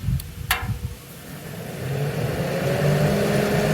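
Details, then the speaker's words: Master kerosene torpedo heater after E1 error fix, on rewired switched fan, igniter and fuel circuits, pump pressure set; sharp clicks, then a steady hum rising into an even roar as pump, igniter and fuel come on; lights and runs normally. "there's the pump nighter fuel Perfect all right that makes me happy check out the end down here good"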